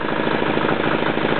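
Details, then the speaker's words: Yanclone Suntom 186CF 406cc diesel in a Royal Enfield after rebuild (new injector, fuel line, head and crankcase gaskets, decoked valves), second test run: even, steady clatter at constant rate, no knocks or stumbling; running healthy. "that's a pretty good second test run of the engine"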